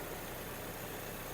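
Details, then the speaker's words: 2006 VW Golf Plus 1.6 MPI petrol, 195,000 km: starts on half a turn, soft, quiet, even idle with no smoke, misfire, knock or tick; engine runs quietly and smoothly. "автомобіль завівся зпівтику не димить не троїть не рчить екологія на місці працює тихо рівно"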